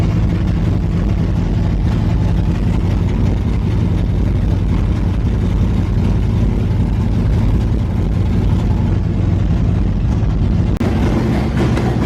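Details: Engine with cleaned, slightly rich spark plugs just refitted, warming up to temperature so the ECU can learn: steady, even low rumble with no knocks or misses; smooth, normal idle.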